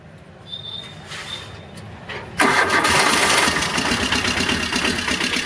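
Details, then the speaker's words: Tata Ace diesel after refitting the missing pump bolt and retensioning the old timing belt: it fires at once and runs on with a steady clatter. The earlier kala-kala rattle is gone; normal start and idle. "பக்காவா இருக்கு. அந்த நாய்கள் எல்லாம் மாறிடுச்சு."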